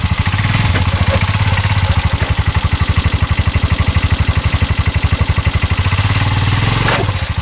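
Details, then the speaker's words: 2022 TBoss 750 Massimo EFI UTV pulling forward in gear, heard from the back, CV axles and U-joint checked tight: heavy, rough rhythmic thumping about four times a second shaking the engine; knocking under load, source not yet found. "sounds really really rough"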